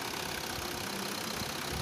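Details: VW Vento 1.5 TDI diesel with DSG after flywheel replacement, about 84,385 km: steady, even diesel idle with no rattle, knock or clunk from the bellhousing. Normal idle.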